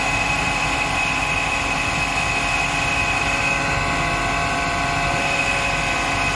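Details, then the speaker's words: Eberspacher D3L diesel air heater, about 40 years old, from a Volkswagen Transporter, bench-tested just after firing up; loud steady hiss and roar with thin high whine, very noisy, unsure if fan or something inside. "of course something is very noisy here i don't know if the fan or something inside it"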